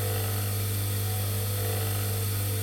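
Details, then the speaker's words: Capacitor start induction motor, long unused, bench test: steady, even low hum with no knocks or wavering; slight vibration felt on table but running smoothly, normal. "either blow the motor up or cut the breaker so far in the head need do that which is bit of luck but yeah that's working nicely can you hear the song wave I see going through it"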